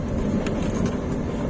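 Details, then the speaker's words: 2021 Toyota Avanza G 1.3 manual, engine lugging at about 500 rpm over a speed bump on brake without the clutch: deep, even low drone with no rattle; normal, safe until a rattling sound appears and grows louder. "belum ada suara berderak, jadi aman, itulah cirinya."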